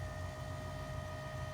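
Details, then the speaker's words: 2016 Nissan Titan XD Cummins diesel after fuel filter change, priming by pressing starter button twice without brake: steady faint electric hum with a constant high tone, no surging; priming pump runs normally, up to 90 seconds. "you want to press the starter button twice without pressing the brake poo and you can hear the prime pump kick on go down there and just listen to it here you can hear it"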